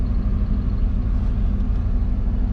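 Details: 1989 Ford F250 460 V8, 5-speed, 4x4, after valves were lapped (exhaust valves held fluid only about 40 seconds); steady low rumble at idle with even pulses, no ticking, knocking or stumbling. Normal idle.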